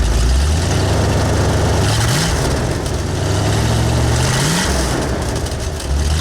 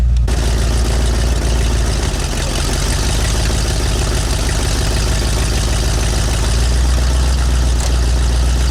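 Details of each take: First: V8 on new Cherry Bomb Turbo mufflers, throttle blips: deep rumble lags before climbing, rising sluggishly then falling back; hesitation from an old speed-density injection system with a camshaft oversized for a 351 and 302. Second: V8 with speed-density injection and an oversized cam, idling on new Cherry Bomb Turbo mufflers replacing glasspacks: deep, even low rumble with steady firing and no knocks or misses; normal, healthy idle.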